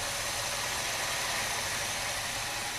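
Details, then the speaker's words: 1979 Cutlass with swapped-in 403 V8 and rebuilt carburetor, cold, first start: steady even idle, smooth hum, initial lifter tick quieted; healthy, may need idle mixture adjustment. "wow this thing runs pretty good it sounds like the carb I know the motor's cold the car might need a little idle adjustment"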